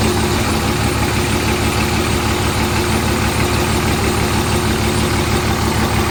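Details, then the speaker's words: Hotshot diesel truck just after a new injector was installed and PB Blaster was sprayed into the turbo: steady, even idle clatter with no knocks, whistles or misses. It is noticeably quieter up front and louder at the rear, idling normally. "well I don't have any lights and she's a lot quieter up front and a lot louder in the back so definitely a lot louder in the back"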